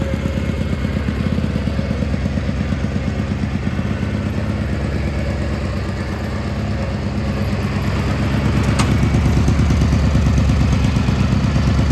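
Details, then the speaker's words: Gravely G-16 tractor, unrun for a few years, running on its own fuel: steady even low twin thump pulling up toward the end, no knocks or misses; runs and drives well, smokes a little, carb probably dirty. "Yeah, so it runs and drives and everything. Runs pretty good. Smokes a little bit."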